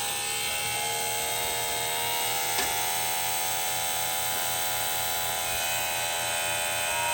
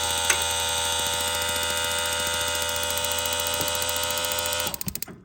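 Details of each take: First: Small plug-in water pump for van shower from 7-gallon jug, no on/off switch: loud harsh drone with rough buzzing pulse about three per second, barely moving water; owner suspects it wasn't snapped in tight enough, works after reseating. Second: Propane camper van shower with a water pump and no propane connected: rapid, steady igniter clicking, three to four a second, over a faint pump hum. This normal sparking shows there is enough water flow to trigger the heater.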